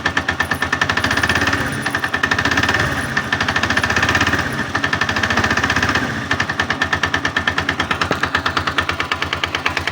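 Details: 162FMG-G single-cylinder engine: loud, fast, uneven rattling internal knock stays prominent while running; source unknown, knocking quieter when the machine is tilted to one side.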